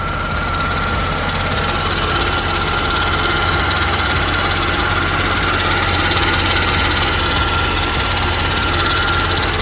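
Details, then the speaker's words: Mercedes-AMG supercharged V6 (upgraded intake, 82mm throttle body, 550cc injectors, 175mm crank and 65mm supercharger pulleys) idling warm after a short first cruise; even, steady idle, no stumble or hunting, faint constant supercharger whine, normal smooth idle. "Definitely want to show you guys how the car is idling after this short cruise. It's pretty smooth so far."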